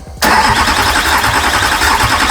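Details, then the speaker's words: Imported Duramax diesel engine in a Patrol, first start attempt: hard, even cranking that never catches; no rail pressure, later traced to a loose injector connection after six and a half hours. "six and a half hours later we found a loose injector connection we just need some rail pressure"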